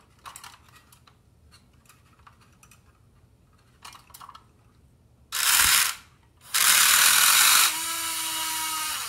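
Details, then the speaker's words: Electron robot, drive motor fed 3 V directly from a bench supply bypassing the switch: light ticking then a high, steady electric whir with no load; the pinion gear has slipped up the shaft off its drive gear, motor itself works. "you can hear that pinion spinning the motor spinning and it's probably already slipped that gear so i know the motor is going to work it's just a matter of getting that gear correct"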